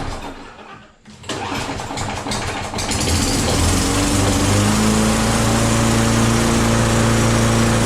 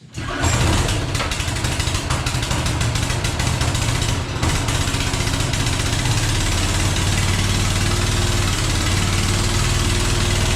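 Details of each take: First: Self-propelled walk-behind mower with oil, a little gas and primer bulb: a pull, a brief cough, then it catches and settles into a steady, even single-cylinder run; running fine. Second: Yard-sale small engine with fuel, no manual choke: fires right away but runs at steady choppy low speed that never climbs; owner suspects an automatic choke is preventing it revving.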